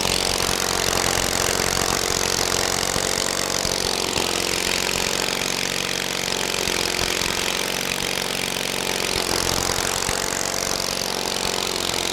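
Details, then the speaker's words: Kohler 23 hp big block, freshly started with plugs in and fuel: steady, busy drone holding speed with only a slow swell, no misses or knocks; runs well despite little work done. "But boy, that thing runs good for, you know, not having to do a whole lot to her."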